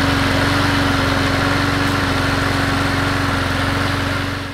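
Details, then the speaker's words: Troy-Bilt Bronco riding mower, Kohler Courage 19, final run after repair of surging and stalling off choke with replaced carburetor: steady even drone, smooth firing pulse, no hunting or surging; runs like new. "I'm going to start this thing up one last time just for good measure just like new good as it can be"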